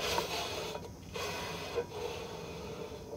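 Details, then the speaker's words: 2001 Toyota Corolla rear drum brake spun by hand after several star-wheel clicks up from minimum adjustment: a faint, intermittent scraping each turn as the shoes first touch the drum; not yet at full contact. "it's gonna take me several clicks to get this to a contact point so now if I spin it you can hear a rubbing"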